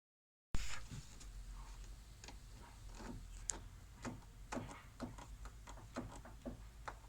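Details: Lada Vesta suspension knock: sharp, irregular knocks, about ten in six seconds, over low road rumble, identified as worn stabilizer (sway bar) links.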